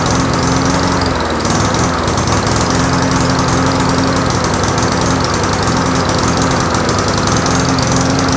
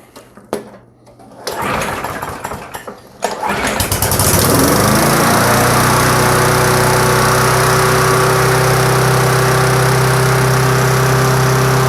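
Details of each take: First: Briggs & Stratton Classic push mower engine with carburetor mounted on the fuel tank, new gasket, diaphragm and governor springs fitted: engine drone sags and picks back up instead of holding steady. Surging caused by an air gap leak at the carburetor. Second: Push mower with a Briggs & Stratton Classic engine and tank-mounted carburetor, previously surging, refitted with gasket, gasket, diaphragm, gasket stack: it pulls, catches and settles into a steady, even buzz with no hunting; runs smooth.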